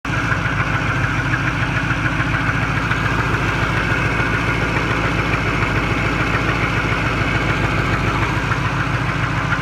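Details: 1988 Chevy Caprice, 305 small-block V8 swapped in about a year ago, idling with a steady knock of three to four beats a second; owner suspects flywheel or transmission behind the block, transmission won't shift out of first.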